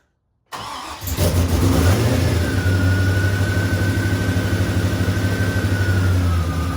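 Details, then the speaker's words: Chevrolet Camaro with rebuilt 6.0 V8, first startup in neutral after rebuild: fires quickly after a short crank and settles into a steady, deep, even idle with no knocks or ticks; healthy. "All right, here we go, first start. All right, started right up though."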